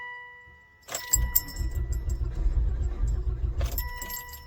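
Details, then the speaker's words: 2004 Volvo V70R AWD after the PEM fuel pump module was opened and reinstalled: key click and warning chimes, then several seconds of uneven starter churning that sounds like it wants to catch but never starts; crank, no start. "Interesting. Sounded like it wanted to. All right, well, didn't do anything, but let's try it one more time."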